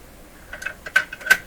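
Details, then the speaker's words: Dominion Electrohome TR50 console receiver on phono: irregular metallic clicks and clatters from the changer mechanism played loudly through the speakers. "Oh, that's really loud. So some of the mechanical sounds coming right through the..."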